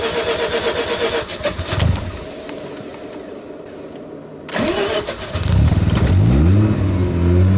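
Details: Mazda RX-7 rotary with a hard-start issue, started after plugs refitted and EGI fuse back in: catches and stumbles unevenly, revs in uneven surges with lumpy idle, smells of raw fuel; rough running after hard start, cause unconfirmed.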